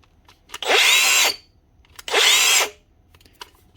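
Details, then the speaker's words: Makita DGA456 18V cordless brushless grinder, from 2019, stiff to turn: two short high-pitched rough scratchy spin-ups that die quickly; worn bearing in the head and stator rubbing on the rotor. "When these get old and worn, sometimes the stator can become loose and shift around a little bit and cause them to rub on the rotor, binding them up."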